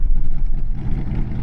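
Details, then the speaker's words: Untested 1955 Ford idling on a road trip; deep, lumpy idle that surges and dips unevenly, a miss or stumble; has a lifter tick, valves likely never hot-lashed, possible vacuum plug issue; cause unconfirmed. "This thing has kind of a miss or a stumble or something. We're gonna just hope it has nothing to do with the lifter tick."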